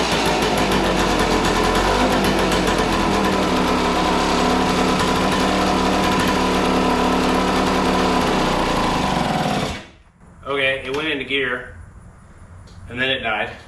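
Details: 1976 Suzuki TS185 two-stroke dirt bike, abandoned and sitting for years, first start without a battery: raspy buzz running fast and fairly even, then cuts out abruptly and dies when dropped into gear; cause suspected, not confirmed.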